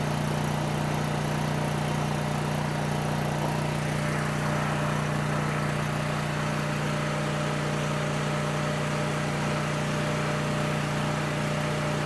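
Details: Coleman Powermate 6560 generator, after the fix for running only on choke (carburetor gaskets had been in the wrong order; oil was overfull and smelled of gas): constant hum, unchanging pitch, no hunting or surging; normal running.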